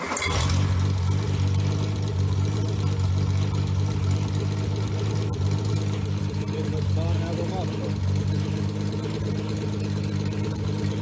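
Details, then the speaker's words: Freshly rebuilt Triumph GT6 2000 six-cylinder (double springs, dual chain, BP270 cam, shaved head, 150 psi compression, 80 psi oil pressure), no load, electric fuel pump, worn rigged water pump: catches quickly, even smooth idle; slight putter attributed to no load. "i do not have a load on it so sometimes it sounds like it kind of puts a little bit but that's that's just because i'm running it without any kind of load uh it idles good"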